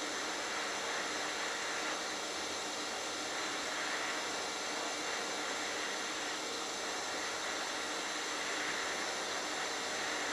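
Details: HitBox 200A dual-voltage 110/220 TIG/stick welder set at 70 amps, sharp tungsten: even, steady hiss and buzz with no crackle or popping; stable, consistent TIG arc.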